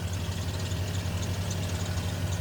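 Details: 1994 Ford F-150 petrol engine idling with a steady low rumble, the first cold crank without the long-present rattle that usually fades when warm; the timing tab had been removed.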